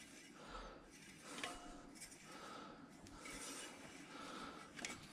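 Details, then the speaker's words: Samebike L026 version 2 e-bike, newly upgraded disc brakes, caliper being adjusted, wheel spun freely; owner expects pad wear-in to help. Light rhythmic scraping swish once per turn, pads dragging: brake pad rubbing on disc. "spinning it okay we can hear it rubbing a little bit now i know when i get out and i ride this and i use the brake pads a little bit that is definitely going to help"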